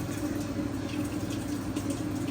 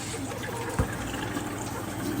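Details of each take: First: Maytag washer MVWB765FW1 showing codes F9E1/F9E2, on diagnostic test eight: the drain pump gives a steady low hum and faint gurgle with no pumping surge and does not clear the water; the drain pump was confirmed bad. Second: Maytag washer, model thought to be MVWB765FW1, in diagnostic mode on the hot valve test: a soft, steady trickle of water into the tub with no buzzing or chatter; the hot inlet valve fills normally.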